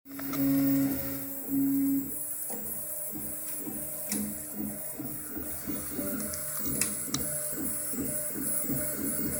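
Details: Craftbot 3D printer with a busy, rattling clatter on every print-head move from noisy linear bearings; the noise was reduced by replacing them with IGUS RJ4JP bearings.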